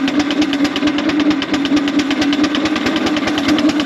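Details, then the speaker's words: 4-inch Foster steam traction engine "Dolly", winter steam test after boiler retubing, working under load at only 55-60 lb pressure, regulator wide open; crisp, evenly spaced chuffs over a steady low hum, no misses; singles quite deep, normal beat. "only got 55 60 lb on so it make her work so she should sound quite good singles quite deep yes wide open"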